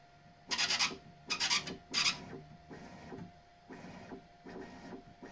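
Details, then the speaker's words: Bambu Lab X1 Carbon 3D printer, upside down: bed moves in short scraping bursts, the first three harsh and shrill, later ones much softer after wet soap was applied to the belt tensioner roller edges where the belt rubbed. "Ну, поскрипывание значительно уменьшилась. Сейчас ещё подмажу немного. Конечно, мыло - это не решение проблемы, но это уже точное понимание, что это в этом месте."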